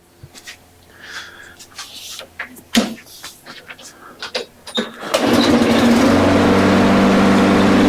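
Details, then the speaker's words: Briggs & Stratton small engine after cleaning its plastic carburetor and blowing out the jets, one pull start: handling noise, then it fires and settles into an even, steady buzz; healthy running, repair successful. "that sounded pretty successful to me don't you think I think so so this is good to go"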